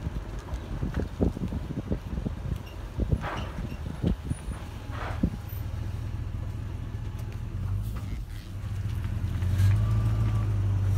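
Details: Toyota 100 series with Icon Stage 1 suspension, while driving: irregular dull clunks over bumps, then steady road rumble. Suspension clunking, cause not pinned down.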